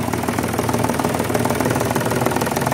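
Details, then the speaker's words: Mitsubishi Mirage hatchback, three-cylinder, about 95,000 on the odometer, idling cold. A fast, steady plastic rattle rides over the buzzy idle. The owner suspects a broken lock on the airbox or engine cover from heavy vibration, not the engine support; unconfirmed. "para sa airbox niya or sa engine cover siguro sa sobrang sobrang vibrate niya parang naputol na siguro yung lock"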